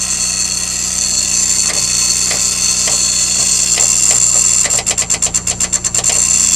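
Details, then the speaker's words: 1984 Ford L8000 with Caterpillar 3208 diesel, unrun 3–4 years, in neutral: scattered clicks then rapid chatter about eight a second with no cranking; battery too weak to turn the starter, needs more charge. "all right so we need a little more uh battery power yet"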